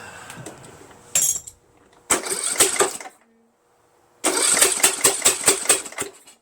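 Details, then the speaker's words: Bursts of cranking with uneven popping firings that die off from a repowered Troy-Bilt 1842 Super Bronco lawn tractor engine; spark confirmed strong and fuel reaching the carburetor, yet it won't keep running; cause unknown. "Something's igniting, right? Just doesn't want to start though."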